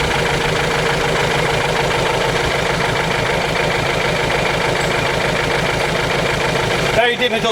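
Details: Ford Transit diesel, hard to start and misfiring badly, during injector leak-off test; loud uneven idle clatter with a lumpy rocking beat about two per second; number two injector's return did not fill.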